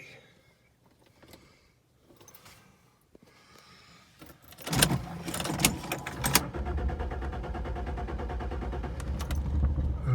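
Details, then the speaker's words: 1989 Jaguar XJ6 Vanden Plas, unstarted for years, with a new battery installed: brief crank, then it catches quickly and settles into a steady, even idle; starts and runs cleanly. "listen to that huh it runs it's been years"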